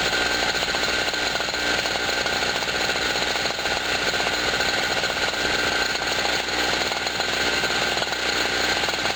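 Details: Generator after its first cold start of 2016, having sat about a year, powering a 40 W bulb and a noisy air pump: a steady high buzzing run with a sharp rattle over it and no hunting or surging. Normal running under load.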